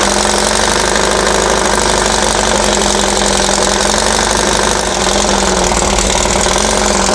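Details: Dune buggy/sand rail engine, long-sitting, run after timing set to the pulley mark at the crankcase split on number one with the distributor loosened for adjustment; loud uneven idle with a lumpy knocking beat. Rough idle, probably timing still off.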